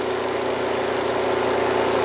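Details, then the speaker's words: Panda B45 portable twin-tub washer (10 lb), about a week old, separate spin compartment run about a minute and a half: steady even hum, fast spin, water draining out, clothes left damp, no knocking or rubbing. Normal spin cycle. "see that the water comes draining out of the tree tube here and this really moves fast it really spins it good"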